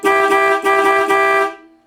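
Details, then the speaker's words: 1964 Dodge Polara 500, newly found original low horn, first test: loud, steady two-tone blast sounded three times with a clean, strong note; horns working properly. "Yeah, that's gonna get people out of the way. None of this beep beep stuff."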